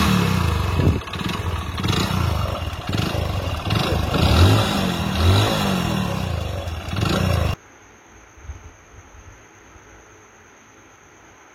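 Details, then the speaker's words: Hero Splendor Plus single-cylinder bike idling with a heavy, uneven clatter from deep inside the failed engine: a worn connecting rod knocking. "Main engine పోతే బండి ఈ రకంగా sound వస్తది correct గా వినండి engine sound అనేది correct Kirk అంటుంది కదా ఇంజిన్ లోపల అదే అన్నమాట కనెక్టెడ్ సౌండ్ అంటే అదే"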